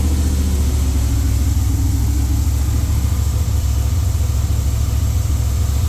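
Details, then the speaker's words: Freshly rebuilt LS V8 in a Jeep with a new cam, untuned, on first fire-up. A smooth, steady drone held at a fast idle near 2,000 rpm to seat the new rings. "Running the RPMs up. Trying to keep it about two grand to help seat the rings right now."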